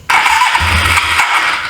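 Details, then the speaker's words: 1983 Suzuki GS450A automatic motorcycle, first start in years after carbs rebuilt by previous owner and replacing wrong coils, key switch and bad wiring: barks into life on choke, stumbles unevenly under two seconds, barely holding on, rough fuel-starved running. "It's trying to run on its own."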